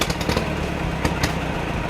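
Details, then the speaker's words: Massey Ferguson 135 tractor, Continental 2.4L four-cylinder gasoline engine: uneven, stumbling idle with irregular pops and surges that faltering toward a stall. It sounds fuel-starved with the governor compensating, despite a new coil, rotor and distributor; compression reads 90/90/85/90 dry. "It just doesn't want to run."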